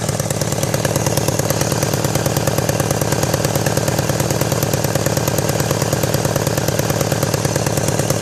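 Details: 1999 BMW K1200RS idling with harsh rapid chuffing and rattling, plus backfiring on a ride: exhaust leak as the #4 exhaust tube moves and hits the manifold port.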